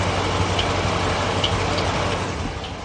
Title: Hemi Charger Chirping noise